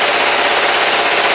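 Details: Kawasaki GPZ500S twin idling while warming up after a starting problem; loud, fast, even exhaust patter close to the mic with no stumbles or knocks, running sweetly. Owner suspects the plug was the cause; some vapour or smoke at the rear.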